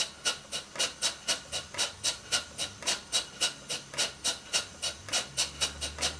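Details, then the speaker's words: Stuart Twin Victoria twin-cylinder model steam engine after valve timing adjusted: crisp even puffs nearly four a second, no stumbles; running much better, only a very slight tight spot remains. "the engine is running much better now apart from the very slight tight spot this is about as even as I can get it what I'm going to do for the rest of the video is just let the engine run"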